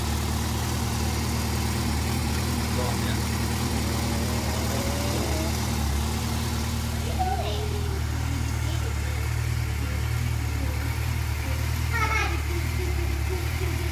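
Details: Yamaha YZF600R Thundercat four-cylinder cold start idle with a light tick over it, occurring only on cold starts; owner suspects the cam chain tensioner, unconfirmed.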